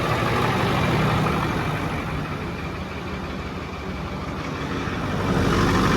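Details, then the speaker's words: Ford 6.4 PowerStroke diesel, arrived with no oil or coolant, just started: rough idle with a light fast tick over the clatter, a little blow-by and smoke, fuel leaking from the opened filter cap; one cylinder low on compression. "Okay, so a little blow by, little smoke. Leading fuel from taking the cap off. Got a little ticking going on in there."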